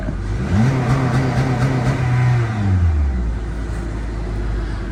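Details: 2013–2017 Honda Accord after high-pressure fuel pump replacement (code P0087), run about 30 seconds then revved: engine picks up smoothly, holds high rev and drops back cleanly, no misfire; normal revving.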